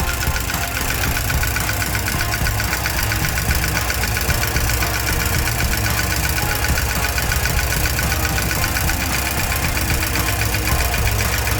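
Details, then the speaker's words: 1987 Porsche 944 first started after about 3 years sitting, idling rough with quick uneven top-end ticking at idle; leaky cam tower and unchecked oil level, owner suspects valvetrain clicking, not confirmed. "all right I I'm going to shut it down because uh I I forgot to check the oil and with a The Leaky cam Tower you can hear it's like clicking um that's probably not good"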